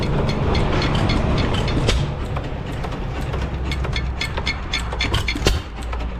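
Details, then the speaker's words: 1909 Lauson 2.5 HP single-cylinder engine, first run in 4-5 years after fitting a rebuilt igniter, running outdoors: steady chugging with a regular beat and faint valve clatter; normal running. "so we moved it outside it's a little less loud and a little better light out here anyway sitting out here running good"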